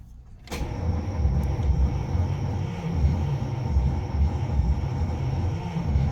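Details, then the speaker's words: 1936 Cadillac Fleetwood Series 70 being revived after restoration, cranked after a battery-cable terminal change: the starter churns in low, even pulses but the engine never catches. It cranks with no spark; the fuel pump was later found full of sludge. "Էլի չի ընգնում, բայց հիմա չգիտեմ արդեն կայծ կա, թե չէ պետք է նայել։"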